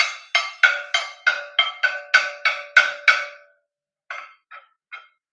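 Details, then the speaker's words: Manual railway signal control room at a station: block instrument sounded to request a slot from the station master, crisp wooden knocks about ten at three per second, pause, then three more; normal signalling. "Station master এখনই slot দিবে। এই যে আওয়াজ হচ্ছে আমরা শুনতে পাচ্ছি, একটা ঠটঠট আওয়াজ হচ্ছে।"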